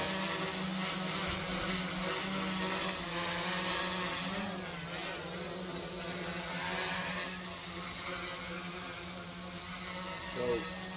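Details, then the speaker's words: PX4 "hardware store" drone during manual PID tuning in QGroundControl, gain raised to 3. A steady motor whine wobbles quickly up and down in pitch as the motors twitch and overshoot corrections. Oscillation from excessive gain. "so we got a little oscillation building up and the motors are starting to twitch which as you can hear you can hear um you can hear the motors kind of pitching up and down real quick"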